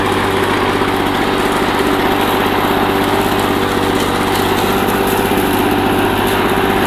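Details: 1984 Lawn Boy two-cycle mower, found roadside, after a rebuild of its clogged carburetor and clogged exhaust: steady, even two-stroke buzz over seven seconds with no misses or surging; running healthy.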